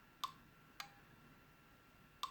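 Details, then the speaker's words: LadderLearn PLC analogue input from a 10k pot module compared to a reference voltage: three sharp, isolated clicks in a quiet room as the output relay switches in below 5 volts; normal relay switching. "might be able to hear it clicking when it gets to below 5 volts."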